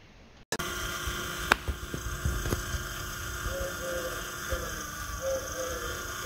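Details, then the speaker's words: Mercedes R107/W126 VDO cruise control actuator bench-tested with 12 V on pins 4 and 5: small electric motor gives a smooth, steady hum with no grinding or catching; actuator functioning. "can you hear the actuator working seems to be all right in functioning I'll give it a close-up so you can have a better look"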